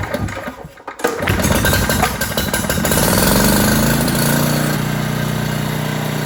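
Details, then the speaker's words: Old 5500 W gas generator, just refilled with oil, started after the carburetor filled: catches after a second, revs up, then settles into a steady even drone under no load; normal running. "well sounds like it run pretty good"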